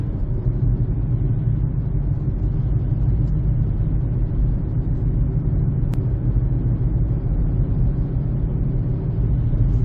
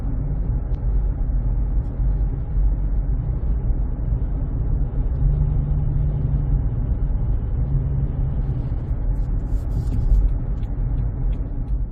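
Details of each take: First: 2007 Honda CR-V, front tires (old tires used about 6 years): deep, steady droning road rumble while cruising that follows road speed; flat spots/cupping on the old tires, noise gone after replacing the tires. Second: 2007 Honda CR-V cruising after cupped, flat-spotted tires were replaced with new Bridgestone Ecopia tires: a smooth, low road rumble with no rhythmic hum or wub-wub; the tire noise is gone.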